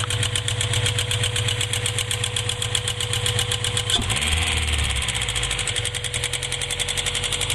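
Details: Honda B20z engine at idle with a light, fast, evenly paced tick over the engine note; a top-end ticking noise of unknown origin.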